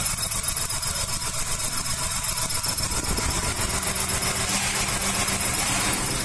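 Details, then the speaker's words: Maruti Suzuki 800, about a 2010 model on CNG and petrol, with codes P0301–P0304, poor pickup and jerking: uneven idle with a sharp crackling tick about four times a second as the plug wire arcs to the air cleaner clamp. Cylinder one is dead. "को plug wire air cleaner का clamp को छू रहा है और वह इसे starting होता है तो क्या है ना एक नंबर का पिस्टन काम नहीं कर रहा है"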